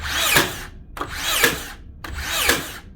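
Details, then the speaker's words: Makita DBN600 cordless second-fix finishing nailer from 2021: cycles three times with a whir and snap each second, intermittently blank-firing without driving nails; the driver seems not to return far enough. "now they're stopping that's not a fire in there that doesn't fire that doesn't fire I think that one did nope still didn't fire right we have a problem"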